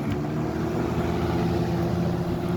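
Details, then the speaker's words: 1995 Lakewood model 200/I box fan on high after cleaning and oiling the motor: steady, even whoosh of air over a low motor drone, no rattles or ticking; owner says it runs very well, normal running. "It runs very well though. I did clean this up. I mean, it wasn't that dirty. And I oiled the motor, cleaned out the motor and everything."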